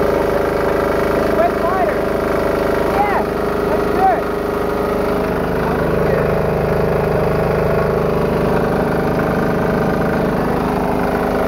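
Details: Diesel-engine-powered air compressor after removing a check valve so the pressure unloader works better: steady even diesel clatter, no sputter or hiss, unloader working; normal running.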